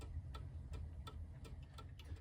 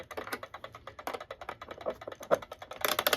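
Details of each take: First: Antique German alarm clock (c. 1898–1902) movement, pendulum spring and pendulum reattached, out of case: crisp even ticks about three per second with faint hum, running five minutes; normal ticking. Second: Antique German alarm clock c. 1898–1902, before restoration, running without its pendulum: fast, even ticking with louder ratcheting bursts as it is wound; the escapement races because the pendulum is off.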